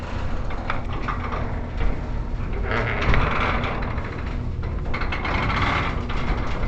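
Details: Heavy-duty commercial warehouse garage door travelling up after lubrication: steady low rumble with a slight uneven shimmy and shake, likely just the pusher springs above doing their job; normal operation, a commercial door won't be silent.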